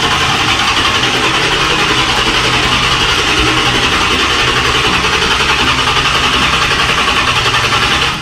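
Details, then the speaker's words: 1995 Corvette LT1 after Performance Opti Spark distributor replacement: starts first time and settles into a steady, even run with busy top-end chatter, no misfire or stumble; normal start and run. "Hey, sounds good. That sounded good. It started."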